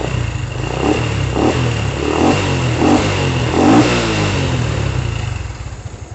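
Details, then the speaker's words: Honda Revo fuel-injected motorcycle started during a light service after cleaning: small single picks up cleanly through a few blips and settles to a steady idle; engine sounds normal, only light service needed. "terdengar dari suara Langsa mudah enak Maksude normal ya Jadi tidak perlu dilakukan service secara berat berada cuma servis ringan ya"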